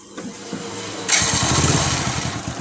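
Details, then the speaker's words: Hero HF Deluxe bike after its self-starter was cleaned and greased to cure starter noise: brief starter whirr, then the engine catches cleanly and runs evenly with no grinding or rattle. Normal start after repair. "Normal आवाज़ हो गया start करने वक्त भी अब आवाज़ नहीं करती है और बंद करने के वक्त भी नहीं करती है"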